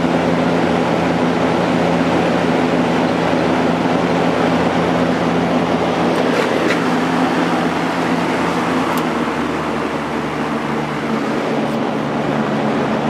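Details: Lakewood P223 first-generation fan with Westinghouse motor, after cleaning and oiling (blade and grills washed, still wet), on high speed: steady, even whoosh with a low constant motor hum, no rattles or scraping; normal running.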